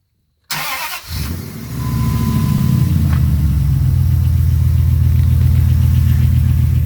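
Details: 2002 Dodge Ram 4.7 with NV3500 5-speed manual, cold start: catches after a short crank into a steady idle with a fast, even clatter over a low rumble that stops when warm; cracked manifold and lifters ruled out, cause unknown, cold start clatter.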